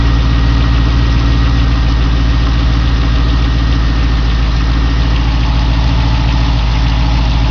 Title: '02 Corvette Z06 Exhaust leak or lifter tick